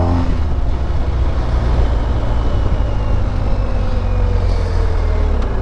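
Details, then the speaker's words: BMW GSA boxer on a ride, throttle blipped to trigger ShiftCam: smooth pull with an even drone and a slight quick tone change as the cam shifts past its spring-loaded ball detent; normal, though it can resemble detonation. "it'll cause the cam to shift and you hear it one it does it really fast and two it has to overcome this uh spring-loaded ball bearing that essentially ensures that it locks it in place once it shifts"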